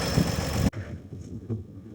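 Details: 1955 Chevrolet 6400 series truck's old inline six, first run after two years sitting: deep, somewhat noisy idle beat with slight rattle, then the sound cuts off abruptly.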